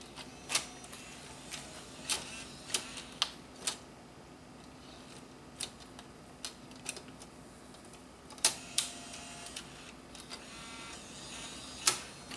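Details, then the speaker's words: Bose music system CD changer that was dropped, tested after blowing dust off the optical pickup: irregular sharp ticks and clicks with no steady spin; disc won't turn, owner suspects a bent top plate is jamming it. "and once again it doesn't even appear to be like it's not even trying to spin the disc at all"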